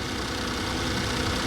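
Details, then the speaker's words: 1995 Daihatsu Hijet S110P EFI mini truck, automatic, 4WD, after an R-134a recharge with the A/C on max and the cabin getting colder (below 50°F): steady, even idle with a constant low compressor hum and no cycling or rattle, normal A/C operation. "اور پھر اسے lock کرتے ہیں اور یہ ابھی بھی بہت ٹھنڈا ہے یہ اور بھی ٹھنڈا ہوتا جا رہا ہے"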